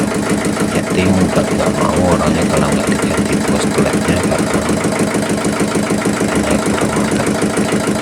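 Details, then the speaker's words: Yulin 2105 single-cylinder rice-mill diesel runs with a steady thump of about three beats a second and no valve chuff or miss after valve seat repair cured the compression leak; it runs at high and low throttle, normal idle. "Mesin sudah mau hidup, gas besar mau, gas kecil sudah mau dan oke kita matikan."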